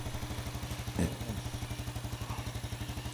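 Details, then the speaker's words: Yamaha Jupiter Z1 that had error code 46 and previously wouldn't idle now idles with a steady, even single-cylinder beat and no misfire. Charging 13+ V running versus 12.x before. "Nah ini udah hidup motor ah langsam sudah enak Tadinya enggak mau langsam kok"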